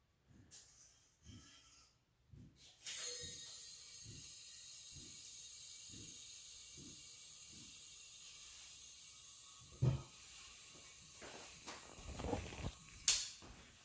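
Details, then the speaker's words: Refilling a small 1 lb propane bottle from a larger tank at home, valve opened: a few soft thumps, then a steady high hiss as gas flows. Filling normally; the bottle is full when the hiss stops. "so up close you can hear the hissing noise so once it stops then it's pretty full okay"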